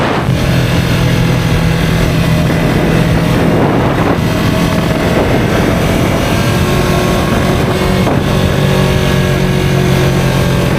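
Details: 2023 Yamaha R3 while riding: steady engine drone under wind and road noise with a faint thin whine above it; rider unsure what it is or whether harmful.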